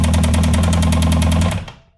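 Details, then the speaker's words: 2006 Kawasaki ZX-10R, start attempt after priming: loud, heavy knock beating steadily about ten times a second until shutdown; suspected internal damage because the engine was previously run with no oil. "That is a knock. It's a scary knock. Wow, that's loud."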